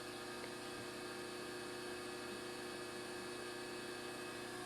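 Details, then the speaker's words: ZX7550WA milling machine spindle powered by a newly wired Roto-Phase model M 3-phase converter: steady even hum with fixed tones, no knocks, surges or grinding; normal smooth spindle run. "And we turn on our power switch now. There's the milling machine running."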